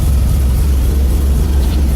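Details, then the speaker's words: Carbureted bus engine, cold start early morning at about 45°F, left idling low to warm up with no revving: deep, steady low rumble with an even beat and no knocks or misses. Normal cold idle. "So let it idle early. Usually the alternator won't kick in at idle."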